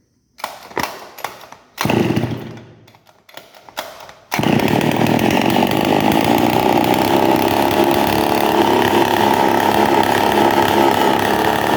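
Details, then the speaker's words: Two-stroke brush cutter: starts, then runs with a harsh, raspy, unusually loud roar because the muffler is loose and exhaust escapes at the joint. "ó tá vendo que é um barulho Fora do Normal né E que é um barulho que o escapamento tá solto então o barulho ele não vai pro escapamento aqui e acaba soltando na junção"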